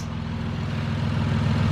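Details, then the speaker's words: Toyota Supra 2JZ-GTE, freshly rebuilt and reinstalled, first start after fixing wiring: steady, even low rumble with no knocks or misses, settling into a smooth idle; normal idle. "That's it, guys, the car's running."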